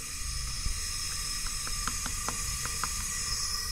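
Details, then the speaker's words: Poulan riding mower, Briggs & Stratton 14.5 hp single-cylinder OHV, leak-down test at top dead center on compression stroke, engine stopped: constant airy hiss with faint ticks, 60% leakage past blown head gasket into pushrod gallery. "I don't know you can actually hear the air coming out you can see we are we are at 60 leakage and that is terrible you don't want no more than about 10 20 ."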